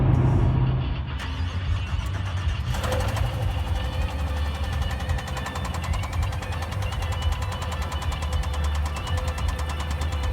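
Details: Brand new 2017 Camaro SS V8 driven after a burnout; heavy rumble with rough uneven knocking about four a second; motor blew, cause unknown.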